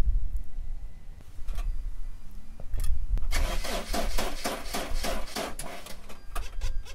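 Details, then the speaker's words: Mercedes Sprinter diesel van with in-tank electric fuel pump, battery reading 12.3 volts: slow, labored starter pulses about twice a second, never catches; no fuel at the filter, traced to a failed fuel pump relay. "right now we're going to check the voltage on our battery because it's cranking slow and not starting well"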